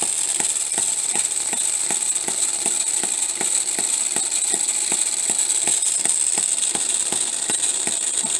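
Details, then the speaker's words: Homemade miniature 4-stroke hit-and-miss engine at about 1500 rpm. Sharp ticks over a constant high-pitched gear whine and rattle; the poor-quality timing gears are making a lot of noise. "one thing i'm a little disappointed in is the ears i had some gears that i used and uh they weren't very good gears they're making a lot of noise which i think takes away from the appeal of the engine a little bit"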